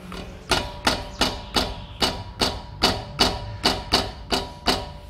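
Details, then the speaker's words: 2007/2008 Toyota Corolla flex, front left wheel: sharp hollow clunks about three a second; brake caliper slide pin fault after brake pad change, from wear or lack of lubrication. "esse barulho é o defeito que tem no pino deslizante da pinça de freio"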